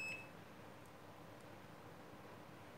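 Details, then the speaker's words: Microwave with the display on but not heating: multimeter on continuity testing the door switch's normally closed (NC) terminal without pressing the switch. A short high beep sounds right away and again at the end; the NC contact is closed as it should be. "Pada terminal NC, seharusnya multimeter akan langsung berbunyi tanpa harus menekan switch."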